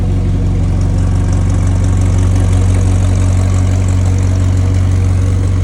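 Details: McLaren 720S engine after repair of Time Attack failure caused by excessive oil temperature, cold start after priming to about 2 bar oil pressure: loud, steady deep idle with even pulse, no knocks or ticks; healthy cold start.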